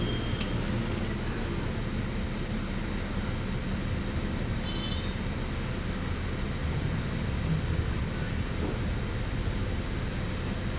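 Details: Toyota Vios with a rough, hunting idle complaint and no check-engine light, after cleaning and rescanning: steady, low, even engine murmur with no surging or dips, though the idle is still slightly high; idle settled.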